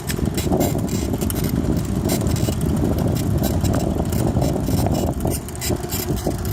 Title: Clunky noises q